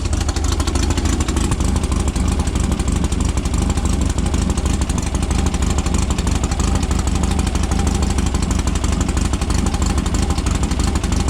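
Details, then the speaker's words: Cold start of a silver Volkswagen air-cooled dune car after a dune trip, following carburetor rebuild/new carburetor and new spark plugs to cure fuel dripping: steady, even low chugging idle, all cylinders firing, no misses; sounds much better than before. "Hear them all firing too, it sounds good. You hear them all firing too, it sounds good. That sounds way better than it was before."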